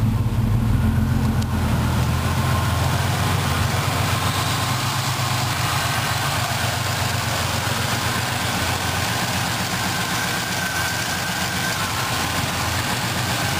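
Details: 1985 Chevy Celebrity Eurosport, first-generation fuel-injected 2.8 V6 with an added salvage Pontiac TGP turbo, HV oil pump and Buick 3800 injectors, on its first warmup. Loud, raspy idle and revs with an open puffing note. Broken exhaust system leaking.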